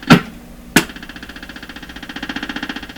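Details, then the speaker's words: Stewart Warner R514 tube radio under restoration for no reception, tuned to the AM band: after two clicks a fast pulsing buzz of about ten beats a second swells; shop electrical interference, source not yet found. "there's something in my shop making this radio noise what you want to bet it's this cut the power okay i lost that bet what is making this sound in here"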